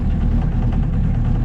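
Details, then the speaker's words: Engine on a $700 auction boat at full throttle on the lake: rough uneven exhaust with irregular spits and stumbles, misfiring; the owner suspects it needs carb work or time to burn deposits off. "Might just need some time to burn some crap off, but definitely need some carb work."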